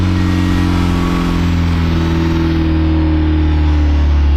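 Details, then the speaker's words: Boosted Mazda Miata at its first start after the engine was reinstalled, with good oil pressure. It idles smoothly with a steady, even hum and no ticks or knocks, "purring like a kitten." The owner still reports VVT problems. "It's running, sounds good. Sounds good. Purring like a kitten."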